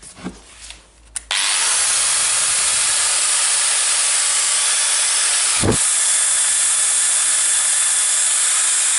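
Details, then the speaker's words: Milwaukee AGV 15-125 XC angle grinder after replacing the faulty controller unit (was not regulating motor RPM) and carbon brushes: loud steady high whir holding constant speed after spin-up, no surging or hunting; in good working order. "Seems like in good working order. So that was the controller unit, not regulating the RPM of the motor."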